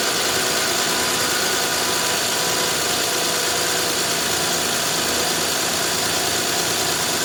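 Even, smooth idle with a steady hiss and no knocking, slapping or tapping; the V6 sounds healthy.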